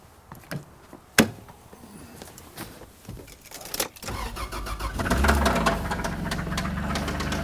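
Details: 1997 Toyota Land Cruiser FJ80: after some clicks and a thump, the engine cranks, catches and idles with a loud, repeated knock; cause unknown.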